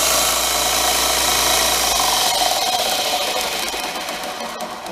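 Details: New Grizzly H7761 belt/disc sander, first run unloaded after assembly. A loud, even hiss of belt and motor with no knocks, slaps or rattles, easing off toward the end; running smoothly and healthy.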